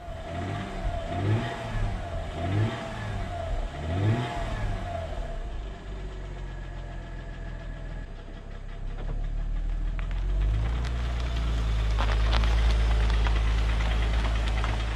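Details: 2007 Mercedes E350 4MATIC, bought cheap after previous owner parked it when it made noise: revs rise and fall with dull knocking, then heavier low rumble under load; engine knock, also burning oil with blue smoke.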